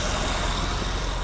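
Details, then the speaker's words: 2006 Acura TL just after replacing the combined idler/tensioner pulley unit and the serpentine belt. Steady, even idle with a smooth low hum and no chirp, squeal or rattle from the belt drive; now running quiet. "We're gonna fire it up and see what it's gonna do. Hit it. Look at that. Listen to how quiet that thing is now, dude."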